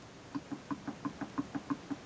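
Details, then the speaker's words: Overloaded, abused rear diff that banged and clunked in the vehicle, on the bench: crown wheel jiggled by hand gives sharp light backlash clicks, with tight spots where none exist because the crown wheel runs out of true and the case is twisted. "i'm going to make the diff uh show the backlash in different positions and you'll hear it by clicking noise"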